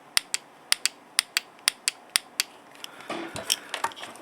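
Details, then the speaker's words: 1984 Corvette (C4) EVAP purge solenoid on the bench, 12 V applied and removed at its positive/negative terminals: crisp sharp clicks in quick pairs, about one pair every half second; the solenoid is switching properly, normal. "and you can hear the valve you can hear the solenoid switch clicking you can hear the switch clicking"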